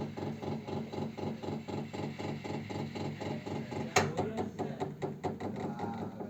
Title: radiator ticking noise